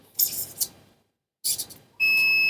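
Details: Three-phase motor with six unmarked leads, probing the leads with a multimeter to find winding pairs (U1/U2 and so on): a steady high continuity beep sounds once the probes touch, so these two leads form one motor winding.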